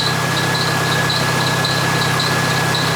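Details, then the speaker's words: Jeep 2.5-liter engine at idle just after replacing worn rocker arms and pushrods for a ticking noise; ticking gone, but a worn serpentine belt gives a faint high chirp about twice a second with a thin whistle; belt then replaced. "I don't hear any noise. Besides the belt, by the way. I do gotta change that one."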